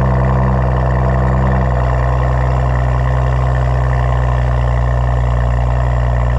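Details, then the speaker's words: Car sat six months, fresh battery, muffler delete: after cold start a loud, deep, even drone holds steady with no misses, knocks or ticks; healthy cold idle with loud open exhaust. "oh yeah that thing sounds good it's just a muffler delete"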